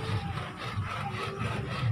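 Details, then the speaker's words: 2012 Toyota Avanza, non-airbag standard steering wheel, turning the wheel: dry creaking rub coming and going with each turn, likely from the dry brass horn contact ring between steering wheel and switchgear rubbing. "Nah ini akan mengganggu si pengemudi dari suara ini karena biasanya orang itu risih Kalau terdengar ada sesuatu yang tidak normal seperti ini nah ini adalah bunyi dari klakson dari Kuningan yang mengarah ke setir"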